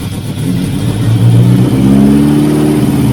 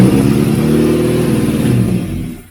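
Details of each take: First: 1989 Austin Mini Designer 998cc A-series, first run in about three years, half exhaust fitted, choke on: revs climb smoothly, hold, fall and shut off, no tapping or valve clatter; normal revving. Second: 1989 Austin Mini Designer, 998cc A-series, first start in about three years, choke on, out of gear: loud raspy burble that runs briefly then dies, loud because only half the exhaust is fitted. Loud exhaust from incomplete exhaust system.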